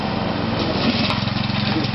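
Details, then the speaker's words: Toro 832 ride-on mower after fitting a new carburettor: small single chugs unevenly, beat wavering and surging instead of holding steady idle; rough running, though it got further than on the last attempt. "Hot water crap, but sort of running. Well, it's sort of got further than we did last time."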